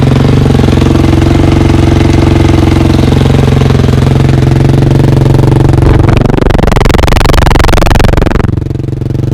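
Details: 2003 KTM 450 after sitting six months, carb drained and fresh gas: fast even single-cylinder thump idling steadily with a couple of crisp blips dropping back cleanly; healthy warm-up.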